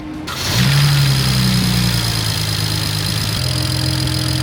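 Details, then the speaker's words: Budget BMW after replacing VANOS solenoid O-rings: short crank, catches at once and settles into a smooth, even idle with no misfire or rattle; only a thermostat code stored, no VANOS code; starts and runs healthy. "So we got nothing yet. So that's good. And it sounds healthy."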